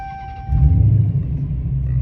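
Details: 2016 Dodge Challenger Hellcat supercharged V8, after replacing spark plugs for P0300 multiple misfire: quick start, deep even idle rumble, no stumble or skip.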